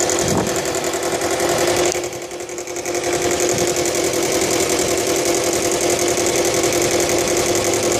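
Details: Subaru Legacy BL5 idling with continuous metallic rattle about two to three beats a second over steady hum; source not identified.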